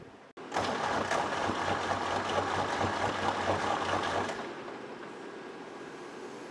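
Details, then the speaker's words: 1964 Lamborghini R2 diesel tractor, no-start: starter churns about four seconds without catching; injector lines cracked to bleed air, fuel now reaching all three lines. "got fuel coming from all three of those the fuel didn't come out right away when I was cranking it over so I'm guessing there was some fuel in there"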